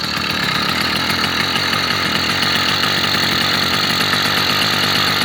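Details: Brand-new 80cc motorized bicycle two-stroke, third start, 24:1 oil mix with 91 octane: high buzzy note holds steady and even through the rev with no misses or knocks; normal running.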